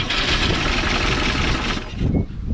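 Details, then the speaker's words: 1957 Chevrolet Bel Air 327 V8 field find, running rough on poured fuel with the throttle worked by hand, gives a loud ragged mechanical clatter that fades; noisy engine, cause unconfirmed. "We'll just kind of let it run. She's noisy, so luckily I have spare motors, but that's not really what I wanted to happen."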